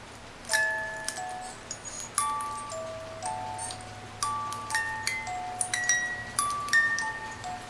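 Clear plucked notes ring out one after another at an even pace, with no drag or grinding; the movement plays its tune cleanly.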